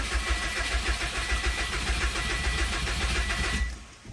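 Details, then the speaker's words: 2006 Subaru WRX at 173,000 miles, cranking with the fuel pump fuse/relay pulled to relieve fuel pressure before a fuel filter change: steady starter cranking for about four seconds, never catching. This no-start is intended. "Let's go ahead and crank it. Okay, we got nothing."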